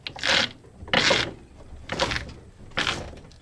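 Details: Lada Zhiguli (VAZ classic) with steering wheel worked to full lock: dull creaking clunks about every second, heard from up top near the steering box rather than below, worse when driving; owner suspects the steering gearbox, source not confirmed.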